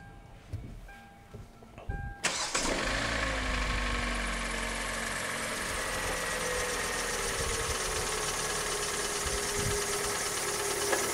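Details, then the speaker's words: Kia Sportage III (G4NA/G4KE/G4KD family engine) at 112,000 km, failed in frost: cranks, fires and settles into a fast cold idle with a dull, steady knock; piston slap from scuffed cylinders. "Я думаю, вам слышно, стучит поршневая."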